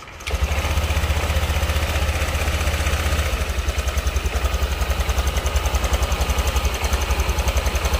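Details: Honda Vario scooter idling with a rough, clattery rattle on each beat, about two a second; worn cam chain tensioner (tonjokan keteng) letting the chain slap, to be replaced, likely without engine teardown.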